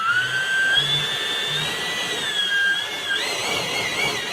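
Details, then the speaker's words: Balanced FMS EDF fan unit running up; a smooth airy whoosh with a clean whistle that climbs and settles with speed, no buzz or shake, a normal whoosh of a well-balanced fan. "we're only gonna hear a whooshing sound that one's perfect"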